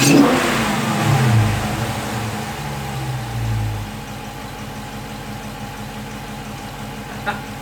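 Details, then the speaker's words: 2016 Dodge Charger Scat Pack V8 with a newly installed JLT cold air intake, warmed up, a sharp blip to the rev limiter then an even settle to steady idle; deep clean note, normal free revs. "I'm gonna give it a couple revs and see what it sounds like. Obviously it's got a limiter on the rev, but we'll see how it goes."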